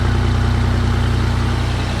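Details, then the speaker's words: 1989 Toyota Land Cruiser FJ62, 3FE engine, first start just after a desmog/EGR delete: steady, evenly spaced low idle pulses, no misses or hunting; owner says it feels peppier and he can now hear air moving, as if it breathes. "feels a little more peppy already just hitting the uh the gas pedal here. I can kind of hear the the air moving whereas before I couldn't, you know, it was just felt like it was stopped up or something."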